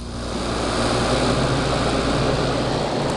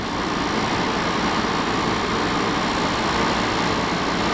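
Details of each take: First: Air conditioner on the low setting: steady, loud rushing airflow with a low hum and no rattle or grind; loud fan noise, the unit simply runs noisier than it should. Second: Air conditioner, sitting since last year, now cooling: an even, steady hum and airflow rush with no knocking, rattling or cycling. The compressor runs fine.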